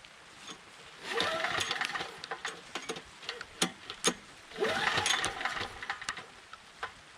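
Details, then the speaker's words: Briggs & Stratton Storm Responder 5500/8250 generator after its defective new carburetor, which dumped fuel, was replaced: two recoil pulls with no firing because the engine switch was left off. Switched on, it fires. "Oh. Well, it helps if you turn it on instead of off. Now we got fire."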